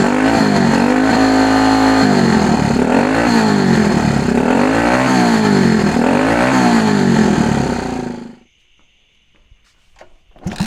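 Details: 1964 Honda Super Cub CA102 after a full top-end rebuild, with a questionable throttle cable; the single picks up crisply on repeated throttle blips and settles cleanly each time. It revs smoothly and no longer smokes heavily.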